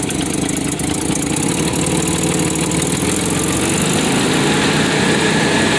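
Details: 1993 Nissan Pathfinder 4x4, 5-speed manual, 205k miles, lifted, power loss: steady idle with fast raspy puffing tick riding over each firing; leaking exhaust manifold.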